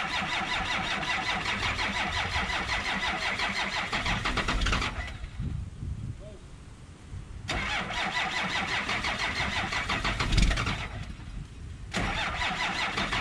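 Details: 1963 Ford F250 with Cummins diesel swap, cold start at 7 degrees with no glow plugs, grid heater or block heater: repeated cranking bursts with pauses between, the engine chuffing but never catching. Hard cold start.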